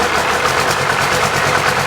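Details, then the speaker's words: 1995 12-valve P-pump Cummins diesel being built for 600–650hp, rough jiggling idle with occasional miss that clears when revved, firing on all six; owner suspects misinstalled governor springs or misadjusted notch screws. "if you put those Governor Springs in wrong or if you don't adjust those little Notch screws right they say you have a bad idle that might be what I did"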